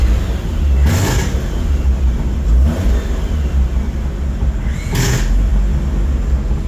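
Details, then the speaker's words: Mazda RX8 with a swapped 13B REW bridgeported rotary, Haltech-managed, at first start-up, idling around 1,100 rpm with good oil pressure: steady, even low idle with a few light throttle blips, no misses or knocks; smooth as a stock engine. "that sounds very, very smooth. A little bit odd actually. Normally we uh you start an engine up and it's angry bridgeported. This thing's idling like a baby, like a stock engine."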